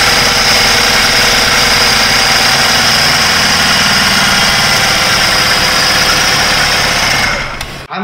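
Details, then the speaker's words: BMW F10 528i gasoline engine at idle after DME replacement didn't fix the problem: loud hard diesel-like clatter about three ticks a second; mechanical problem suspected, possibly Valvetronic, cause not confirmed. "if you did hear this that this engine runs like a diesel engine this is gasoline vehicle but it runs like a diesel which tells me that this is definitely a mechanical problem"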